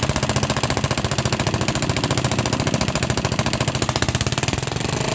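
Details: Yamaha Jupiter MX after repair of a loud ticking that persisted despite replaced rocker arms, with a racing exhaust fitted: loud, crisp exhaust beat with a steady rhythm and no tick; valve gear sounds quiet and healthy.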